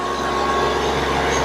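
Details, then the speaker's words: Hyundai i10 diesel, about 88,000 km, after EGR valve and manifold cleaning for black smoke: smooth even run held at 3000 rpm, no knocking, missing or hunting; revs well, smoke and pollution reduced, healthy. "നല്ല RPM ഒക്കെ rice ചെയ്യുന്നുണ്ട് വണ്ടി വണ്ടി വണ്ടി ഇപ്പൊ ഇതാ 3000 3000 RPM ആണ് work ചെയ്യുന്നത്"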